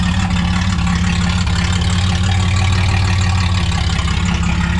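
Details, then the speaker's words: Barn-find Camaro after a new gas tank was fitted, fuel now cleaner, with the exhaust cut off: a loud, deep, steady, unmuffled idle rumble with an even beat and no misses. No fuel leaks seen, but the fuel gauge still doesn't work. "I don't see no leaks sorry it's loud I had to cut the exhaust off"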